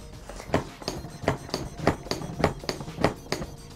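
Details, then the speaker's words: Practi-Man CPR training mannequin with the depth clicker enabled: crisp single clicks about 100 a minute, one per chest compression, confirming each compression reaches the correct depth. "you hear the clicking sound that is confirmation to the student that the compressions are being performed properly"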